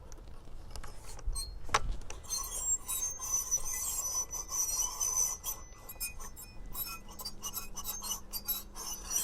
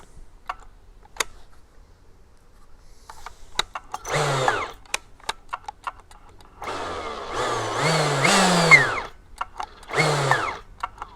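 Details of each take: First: Husqvarna T542i XP battery top-handle chainsaw: a high, scraping squeal like an old wheelbarrow as the trigger is pulled, before the chain spins up. Suspected dry clutch; the manual says the shaft and bearings can be greased. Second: Husqvarna T542i XP battery top-handle chainsaw, after greasing the clutch bearing through the shaft holes to cure a squeaky-wheelbarrow squeal: short bursts of the motor spinning up and easing off with no squeal; clutch now runs quiet and normal.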